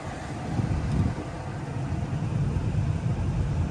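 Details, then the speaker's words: 2003 first-gen Toyota Tacoma blower motor after lubing it and blowing carbon out of the windings, which fixed weak airflow and bearing ticking: a steady, even low rumble of air and motor with no ticking or scraping. Normal run. "blew it out with the air compressor and I mean we got it connect it all back up and I'll show you guys that the sound is completely gone it uh it sounds just like it did"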